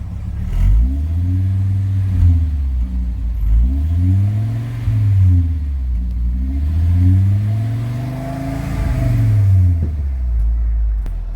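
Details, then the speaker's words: VW Transporter T4 campervan after exhaust repair following backfire damage from a faulty rotor button: revs rise and fall smoothly with a deep, quiet exhaust note, no blowing or rasping; exhaust sealed and not loud. "So there you go, not loud at all."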